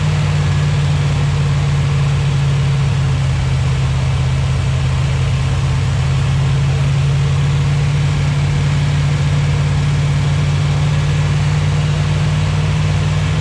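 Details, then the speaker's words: 241 Red Ram Hemi V8 during cam break-in on a cold Kansas day, oil pressure about 30 psi, under 80 degrees: smooth, steady deep drone held at raised speed, no ticking or knocking; running smoothly, normal break-in. "I almost killed myself just for you guys it sounds good our back part by the mop work though and break-in we're going pretty smooth"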